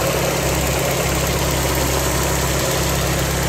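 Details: Engine idling just after fuel injector leak repair and fuel lines reconnected; smooth, even idle with steady low hum, no ticking, misses or hiss, no fuel leaks seen; runs healthy.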